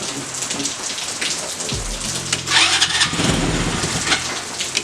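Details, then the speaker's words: Tao Tao 110cc go-kart engine with a new fuel filter, rain in the background. It cranks, catches for a few uneven pops, then stumbles and dies without idling. The owners suspect the carburetor and plan to replace it. "Give it like feather it almost. When we start it. It's the carburetor. It's a carb."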